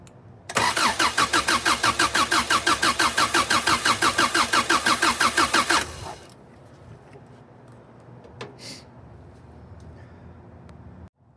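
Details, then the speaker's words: Subaru GL with an EJ251 Outback engine swapped onto the EA transmission via an adapter plate, on its first start attempt: steady starter cranking about three beats a second, never fires. No start because it is out of fuel. "see if any fuel comes through when I turn the key. Oh, yeah. Out of gas."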